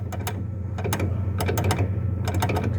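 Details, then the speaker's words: 2005 Fiat Uno Fire, rear: quick bursts of hard clacks over a low hum from a loose part near the exhaust muffler with a worn rubber mount, heard inside over bumps. Trunk lid and rear shocks were ruled out. "ouviu esse barulho que fazia passava no buraco e dava para ouvir dentro do carro eu não sei para que serve essa peça ela fica próximo do silenciador do escapamento"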